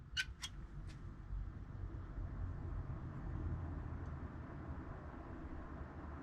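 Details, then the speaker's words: New gaming PC (i9-10900K, RTX 3080, DeepCool 120EX AIO liquid cooler, 1000W PSU) at first power-on: few clicks then soft steady low whoosh, no buzz or rattle; fans genuinely quiet, normal. "that's genuinely quiet which makes me wonder if it's going to work like that is almost too quiet"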